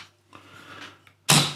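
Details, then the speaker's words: BSA R10 PCP air rifle, before swapping to a new 300cc carbon fibre bottle; final shot as regulator pressure drops and the reservoir nears empty gives a single soft, muffled pop with no crack, like a dog's wet bark, a low-pressure dull report. "And you heard that. Yeah. Like a dog's wet bark, was it?"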